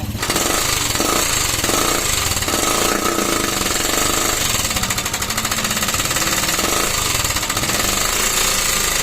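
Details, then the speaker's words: Motorstar classic motorcycle before restoration: fast, harsh hammering clatter at a steady rate over the engine, far louder than a sound engine should be; the old noise the engine used to make, cause not stated. "Yung dati kasi napakaingay. Yan, ito yung dating ingay mga kamekanika."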